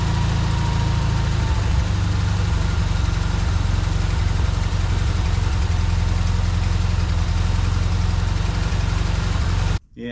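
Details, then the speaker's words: 1952 VW barn-door bus, carburetor gravity-fed to rule out fuel-pump overpressure after air-leak fix: idle stays high and hunts up and down; suspected damaged idle mixture screw bore in carburetor. "unfortunately no real change there you can kind of hear it hunting too so I think that idle mixture screw I think the bore inside's damaged"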